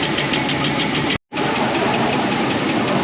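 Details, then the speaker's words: 2004 Chevy Express 4.8 V8 at idle, cold: fast even light ticking from top end, hydraulic lifters tapping; oil pressure adequate, noise fades as temperature rises; diagnosed internally clogged lifters. "esta parte de aquí el golpe conforme la temperatura va elevándose el ruido va bajando esos botadores tienen un resorte interno para esta Chevy"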